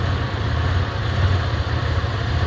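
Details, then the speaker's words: Centurion that sputters and quits when the throttle is released: a low, heavy idle that wavers and dips as the vacuum gauge drops and fuel pressure rises; the owner suspects vacuum loss, possibly bad fuel, unconfirmed. "gauge is dropping of course when the gauge drops the fuel pressure will go up the only reason that is is because you're losing vac vacum and the vacuum is what powers your um fuel pressure regulator"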